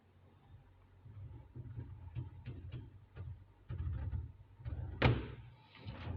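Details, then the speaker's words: Hisense RS694N4TCF American-style fridge freezer with a defective door: dull thumps and a scuffing rub as the door swings, then a harder knock; the door scrubs against a part, stays open and won't close unless pushed. "Here where it is scrubbing against the if you can hear this noise,"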